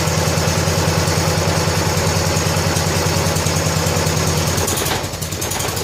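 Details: 1970 John Deere H3 garden tractor idling right after its blown head gasket was replaced, about 47–48°F with old oil: an even, slow, low putter of about three beats a second, steady with no misses; normal idle.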